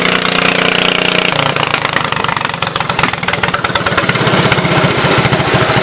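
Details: 1974 Case 220 garden tractor, formerly a mud tractor, running after fuel pump and fuel tank work (owner plans a better fuel pump): steady single-cylinder putter, quick even beat picking up toward the end, no misses or knocks, normal running.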